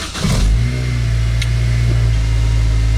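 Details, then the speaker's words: 2002 Acura RSX after swap to 2005 RSX Type S K20Z1 engine with 6-speed, first start after fuel pump priming: catches and settles into steady, even low idle, no knocks or misses; running healthy. "so yeah the car is running beautifully"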